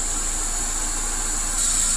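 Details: Toyota Corolla All New/Great Corolla, engine idling, radiator/AC cooling fans checked during fan wiring work: soft, steady rush of air over a quiet idle that rises slightly near the end; both fans running at low speed normally.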